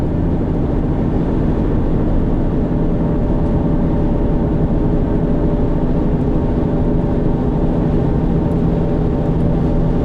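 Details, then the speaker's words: 2008 Subaru Outback automatic, 198,000 miles, cruising on highway: steady deep even droning roar like a 737 on takeoff, no rhythm; owner says a wheel bearing is on the way out. "Definitely got a wheel bearing on the way out. But it just kind of sounds like a 737 at full tilt on takeoff."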